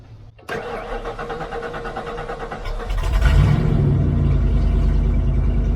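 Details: Church van sat since about 2016, fuel tank nearly empty, catalytic converter stolen leaving the exhaust cut open: cranks briefly, catches and settles into a loud, raw, rumbling idle; exhaust leak.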